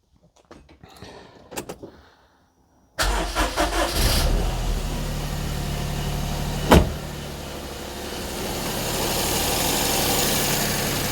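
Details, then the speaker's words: Perodua Kenari on 60,000 miles, first start after fitting a replacement alternator, power steering pump not yet refitted, belt possibly a little loose, in neutral: catches quickly and settles into a quiet, smooth, very low idle; earlier whine gone. "Wow, that's quiet. Oh, that's a very low idle, Desmond."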